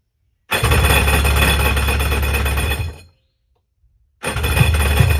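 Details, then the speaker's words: 1996 Tigershark jet ski two-stroke, bought non-running, fuel lines disconnected and gas poured down the carb throat with no choke. It fires and runs strong about two seconds, dies, then catches again: it stalls because the fuel pump isn't delivering, and the tank needs cleaning. "Just got to get the fuel pump pumping fuel. Clean the fuel out of the tank and should be good to go on the water."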